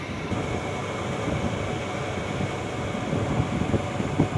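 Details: Package AC indoor unit after greasing the belt that was causing an unusual noise; blower runs with a steady, even rumble and no belt squeal or slap; noise gone, normal running.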